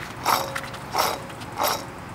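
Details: 1995 Jeep Wrangler front left wheel bearing, failed after about a month of odd noises: rough, gritty crunching bursts about every two-thirds of a second.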